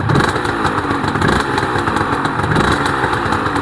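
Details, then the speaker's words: Restored Honda NSR250R-SP MC18 two-stroke with JHA pipes, just started: a crisp, ringing buzz through quick throttle blips, picking up cleanly and evenly. Healthy, responsive revving. "Wow, those pipes sound Those pipes, JHA pipes, sound lovely."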